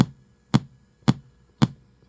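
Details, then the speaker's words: Constant pops, sharp and evenly spaced about every half second, through a quiet speaker on a GT Fore board that also resets; audio-circuit fault suspected near the Creative audio chip and crystal, with missing U61 noted. "I can hear it in the speaker. It's like it is definitely running the audio, except we've got a definite issue right here somewhere, because I can hear it,"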